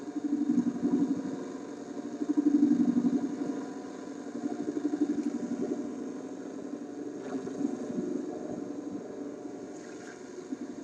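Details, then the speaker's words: Concerto LL21552 AM/FM vacuum tube radio during alignment, AM: rough buzzing hum pulsing about four times a second over the tuning; AM reception swamped by interference, cause suspected, not confirmed. "well that sounds terrible that that does not sound like what radios normally sound like in my shop"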